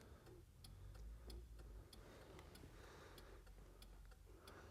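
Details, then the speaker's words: 1970s barn-find Ford Cortina project with a 46-year-old engine: hazard flasher giving a faint, fast, uneven tick of about 230 a minute; hazards only sort of work, and two front hazard bulbs are out. "can see, so we need two front hazard bulbs."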